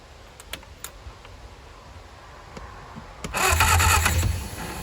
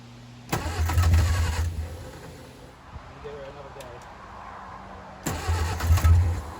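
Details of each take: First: 1959 Reliant Regal Mk5/Mk6 three-wheeler, first start attempt after 20+ years unrun, two-stroke fuel dribbled in carb; quiet cranking then short ragged firing burst that dies; carburetor flooding from stuck float. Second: 1959 Reliant Regal Mk5/Mk6 three-wheeler unrun 20+ years, on full choke (choke not adjustable), fuel trickled into carb; two short cranking bursts that catch and fire briefly before fading, heavy smoke, oil pressure showing; normal start.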